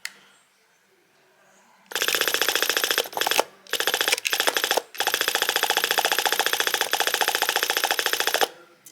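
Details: SU electric fuel pump rebuilt from old parts (points sanded, 0.030 and 0.090 gaps set, diaphragm adjusted, diode fitted), bench-tested on power: crisp, even clicking at three or four ticks a second with brief pauses; pumping cleanly and working properly.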